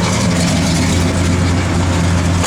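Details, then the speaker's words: 1967 Oldsmobile 442, 455 ci V8, Holley dual-feed 4-barrel, Edelbrock intake, Flowmaster dual exhaust, idling as it warms up: deep idle with a steady uneven lope from the cam, no knocks or ticks; normal healthy cam lope. "As it warms up there, you hear that cam lobing a little bit."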